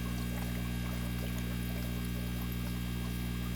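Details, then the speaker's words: New Marineland Penguin 150 hang-on-back aquarium filter, impeller pre-filled with water and sponge fitted, just plugged in: even, low electric hum with faint water trickle, steady throughout; pump priming and running normally. "You hear it running there? Jeez. Sorry about that. It's already priming."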